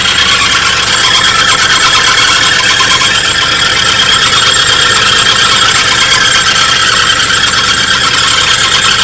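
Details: 1983 Oldsmobile Delta 88 Royale, starting immediately after new caps: a continuous high, shrill squeal over a steady idle from an accessory pulley; owner suspects the alternator, not confirmed.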